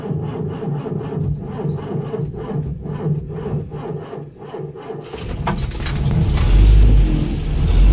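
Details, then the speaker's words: Land Rover Series IIa with a mechanical fuel pump, next day after dip-switch wiring and lighting repairs: about five seconds of slow even cranking, then it fires and builds to a steady idle. A definite improvement in starting. "That's definite improvement, isn't it?"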